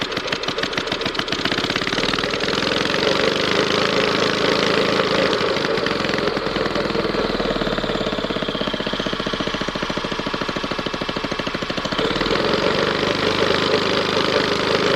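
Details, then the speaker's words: 5 hp Briggs & Stratton single (model 130202) on an auction air compressor, after carburetor fix: steady, even rapid putter with no misses or hunting; runs smooth and healthy. "as you can see it runs pretty good"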